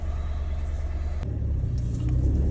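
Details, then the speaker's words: Peugeot 107 after a cylinder 2 misfire code, dirty spark plugs and a new ignition coil, with the ECU reset: a steady, even low idle with no stumble or miss. The problem is solved. "problem solved is coming on nice"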